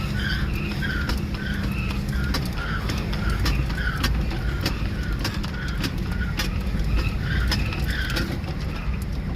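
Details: Car driven on an empty street; it idles fine but the steering wobbles back and forth. Heavy low road roar with a rhythmic scrubbing squeal pulsing about twice a second. Severe wheel misalignment.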